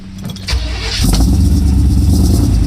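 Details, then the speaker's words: Chevy K5 Blazer squarebody V8 (454 mentioned) with race gas added, idling right after an engine fan replacement and before warm-up and timing check: it catches at once and settles into a deep, even idle with no ticks or knocks. "all right there we go let's see I could see some that fan from here so it sounds good"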